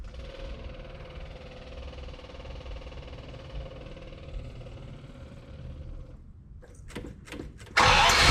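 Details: Ferrari 400GT engine, freshly installed and ignition retimed, on one of its first starts: quiet cranking and a few clicks, then it catches with a loud burst and keeps running; starts cleanly.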